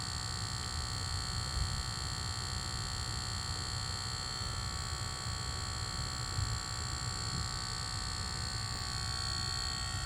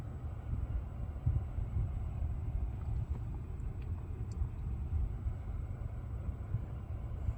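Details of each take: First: Lucid car parked: faint steady electrical buzz of several fixed high tones, cause unknown; not cleared by switching profiles or the first reset, and a logo reset is tried next. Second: Lucid electric car driving after a logo reset stopped a buzzing noise that profile switching and an earlier reset had not. Low, steady road rumble with no buzz or whine; quiet and normal, cause unknown.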